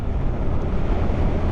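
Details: Suzuki GSX-8R revved in neutral at a standstill: a deep, steady engine roar held high and even with no limiter cutting in. It revs freely and sounds healthy, unlike the soft limit that appears when neutral is selected while rolling.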